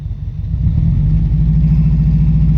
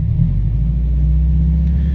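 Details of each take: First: Lifted Subaru GC8 with equal-length headers at idle, catalytic converter and O2 sensor missing: a loud, deep, uneven, lumpy rumble from an intermittent cylinder misfire. Later fixed with plugs, wires and an ignition coil. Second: Lifted Subaru Impreza GC8 after replacing plugs, plug wires and an ignition coil: smooth even idle with no stumble, miss or near-backfire on throttle blip, no longer shaking; normal idle after misfire repair.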